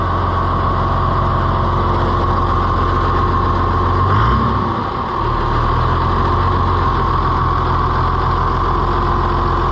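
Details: Oliver FWA tractor (one of a 1955/2255 pair) just started after servicing with new filter socks, with oil pressure good: a deep, steady diesel idle with no knocks or misses; normal running.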